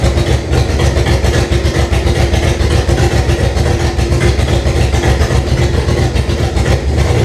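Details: 1998 Jeep Cherokee XJ with swapped 2005 5.3 LM7 V8 (706 heads, LS1 intake, reprogrammed computer) on its first start with makeshift wiring and fuel tank: a loud, lumpy, wandering V8 idle through open pipes. Runs rough, cause not pinned down.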